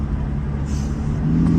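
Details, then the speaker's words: 1995 Ford Taurus 3.8L V6 with big turbo, driving, not yet hot: deep even drone swelling smoothly as throttle opens, no knocks; runs good, almost sounds like a diesel. "she runs good dude man it sounds like a almost sounds like a diesel she runs good"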